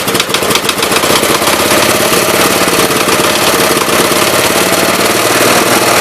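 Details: 1969 Gravely 432 single-cylinder engine, points eliminated, smoking: fast, sharp, regular knock over the running beat at steady speed; owner unsure whether it's a knock or just on-off firing, cause unconfirmed.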